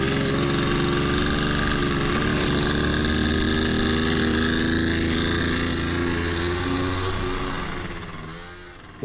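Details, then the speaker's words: Honda Dio two-stroke scooter after a fix for blocked jets and lack of fuel, on its first ride: an even, buzzy drone that rises smoothly with throttle and fades as it pulls away, no stumble. "all right so it is running now going to take it for its first actual"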